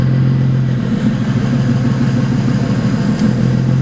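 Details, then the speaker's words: 2008 BMW 135i with a single-turbo build of about 752 whp, started after a clutch replacement: it idles low, lumpy and uneven. It has run poorly since the clutch job and shows throttle valve potentiometer 2 codes; the owner suspects a cause, not confirmed. "unning good I'm not sure really what's going on after I replace the clutch it started acting up"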